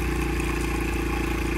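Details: Honda XR70 single-cylinder, smoking, low compression, won't run without choke, rings suspected; after about 10 minutes running: rough idle with rapid loose clattering tick on every firing pulse, cam chain slap.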